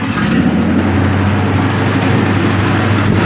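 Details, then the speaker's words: Original 327 V8 in a Marlin with column-shift Flash-O-Matic, a daily driver with a leaking freeze plug: steady, even low rumble with no knocks or misses, settling into a smooth, healthy idle just after starting. "so it runs great this is an original 327 with the flash-o-matic on the column"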